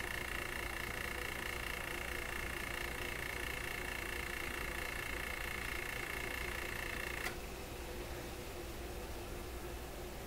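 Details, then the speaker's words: Webster record changer motor in Electrohome Chippendale console, started on restricted power after spraying oil-solvent mix: faint steady hum with high scraping tone that cuts off abruptly; unexplained mechanical rubbing noise, cause not confirmed, coast-down good. "Wow, what's with the noise? Listen to that. I don't get it. What is making that noise?"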